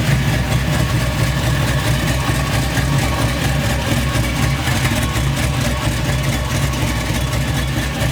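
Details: C10 truck after wiring harness and injector replacement: steady low idle that starts fine then hunts unevenly after a few seconds, O2 sensors reading wrong; vacuum leak making the idle act up.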